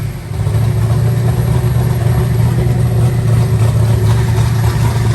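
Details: Eagle Talon rewired and converted from Pro EFI to Holley: a deep, even idle with a smooth, steady rumble and no misses or stumbles, firing on all cylinders.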